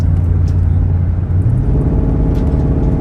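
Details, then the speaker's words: Mercedes cruising with a Magnaflow exhaust after a misfire was fixed by new ignition coils and spark plugs; a deep, steady exhaust rumble, smooth with no stumble, so the engine is firing cleanly. "We should go do a couple slow passes so I can really show y'all how good these magnet flows sound, man."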